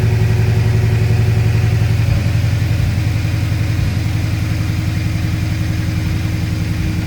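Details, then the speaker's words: Saleen S331 supercharged V8 at idle: lumpy uneven beat with occasional dropped pulse and exhaust popping, engine shaking; owner suspects faulty CHT sensor misreporting temperature and upsetting fueling, to be replaced with supercharger gaskets and oil. "And if you hear the exhaust, it does like popping, you know, misfires kind of in a sense."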